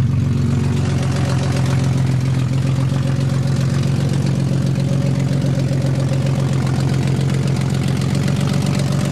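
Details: 1991 BMW 318i E30 with swapped M50NV inline-six, cold start and warm-up: shaky uneven idle pulsing about four beats per second; codes show bad crank sensor and bad O2 sensor, cause not confirmed.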